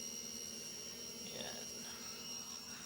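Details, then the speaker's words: Midea front-load washing machine after replacing both drum bearings with originals: drum spins smoothly with only a steady high-pitched motor whine, no knocking or rattling; previously very noisy while spinning. "So yung naririnig niyo lang po na huni na yan ay yung huni na lang po ng motor po yan"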